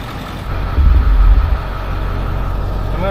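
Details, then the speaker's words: Ford F350 diesel dually after refilling fluids, bleeding brakes and fitting intake and battery: heavy low chugging as it slowly cranks and struggles to fire, air still in the fuel system, then rough idle. "apparently there's a lot of air in the system yet and it still takes a while to fire up"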